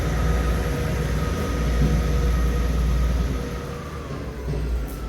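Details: Class 158 diesel unit 158720 pulling away from Dingwall under acceleration: deep diesel rumble with a faint steady howl over it; cause of the howl unclear.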